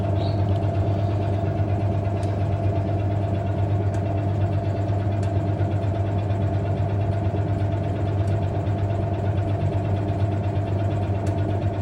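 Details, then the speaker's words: Early-1990s Hoover 1400 PermaSteel top-load washer on Permanent Press cycle, Hot, washing bedding, in spin: steady spin hum with faint irregular clicks every few seconds as the spin solenoid cycles on and off; normal. "But you can hear the spin solenoid and the way it clicks or clangs on and off."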